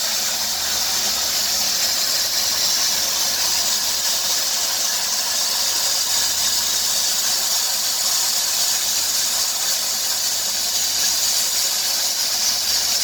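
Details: 2003 Dodge Grand Caravan 3.3 with 372,528 miles: a steady high-pitched squealing hiss over the running engine, louder near 2000 rpm, that sounds vacuum-like but the engine runs smoothly. It stops with a water spray on the belt. The idler, tensioner pulley and power steering pump are already replaced; the owner suspects the drive belt.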